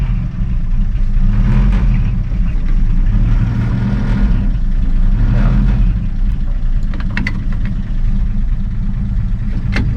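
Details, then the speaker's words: 1958 Chevy Apache, first run in 20 years, after pumping throttle a few times: deep steady low chug with even beat, holding without stumbling; engine running properly. "there it is just chugging along again"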